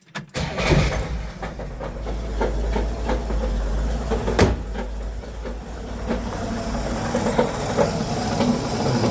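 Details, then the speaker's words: 1963 Pontiac started and idling in park before repair. An uneven, heavy knocking sits under the rumble and sounds like a broken crank; the cause is a cracked flex plate, to be replaced with a new one using Loctite on the bolts. "It sounds so bad. When the buyer shows up to grab this car, he is not going to want it with the engine sounding like that. He's going to think that the crank's broken or something. I know it's just the flex plate."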